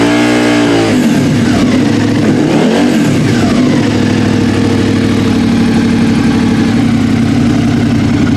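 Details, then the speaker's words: 2013 Suzuki Gladius with newly fitted M4 aftermarket exhaust replacing stock: quick throttle blips rising and falling, then deep even rumble; healthy twin. "here Brodeur got a deeper rumble to it still here Samantha noise but definitely hear the exhaust"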